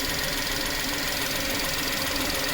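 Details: VW petrol engine with code P0171 idling high with fast, rough knocking and a strong hiss: vacuum leak from a torn PCV valve diaphragm, also giving poor mileage.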